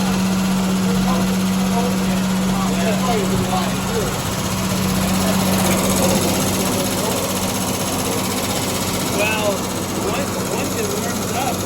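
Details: 1974 Triumph TR6 with backfiring, smoke, run-on and a low-compression third cylinder, cold on choke before carb and timing adjustment; steady fairly quick idle with a constant hum.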